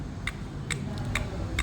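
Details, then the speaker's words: Engine: crisp, evenly spaced ticking, about two a second, over a low engine hum; crankshaft-related ticking suspected, exact source unclear. "Tick tick tick tick sound."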